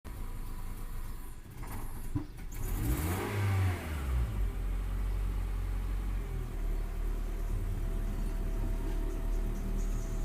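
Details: Cold Honda Civic petrol engine revs unevenly with popping and loss of power, then falls to a rough, sputtering idle. Acts fuel-starved when cold despite a full tank; owner suspects spark plugs, not confirmed.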